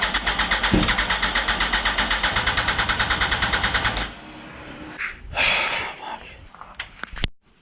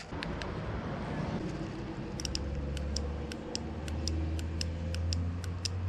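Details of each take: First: 2004 Yamaha R1 motorcycle, start attempt after sitting over ten years, with new fuel pump, cleaned lines, checked plugs, jumped from a house battery: starter churns about four seconds at a steady beat without firing; cranks but won't start. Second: 2004 Yamaha R1 sitting untouched for over ten years, injectors reconditioned a year earlier: crisp ticks about three per second over a low hum; injectors click and work normally, though power delivery to the injector plugs later proved faulty.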